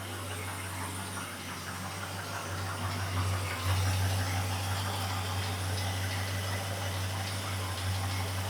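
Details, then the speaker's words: 1974 Ford F100 V8 with new Summit intake, restarted after refilling the carb bowls and retarding timing that had been too advanced: smooth, even idle with no knocks or misses; runs well, though a leak still needs fixing. "Well, that sounds like it's running pretty good to me."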